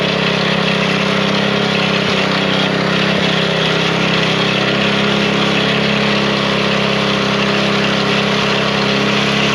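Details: Small single-cylinder engine, after draining old gas from the fuel line following 5 months unused, holds a steady, even buzzing idle with no misses or surging; fired right up, bad gas was the cause.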